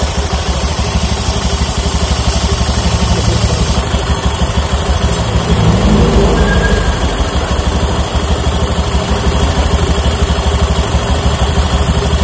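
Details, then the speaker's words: Honda Beat FI scooter after CVT service, drive belt kept as still usable: steady, even idle pulsing about three times a second, no rattle, belt drive slightly coarse; normal CVT idle. "udah sembuh Ini tinggal paling servis bersih-bersih lagi pergantian oli terus sama reset inject"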